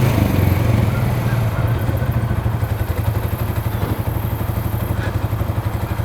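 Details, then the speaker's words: 2013 Polaris Sportsman 550 4x4 single-cylinder ATV running well, steady even putter while driving; all gears work, slight clutch squeak possibly rust. "all right it's running pretty good so all the gears work reverse Works high low both work"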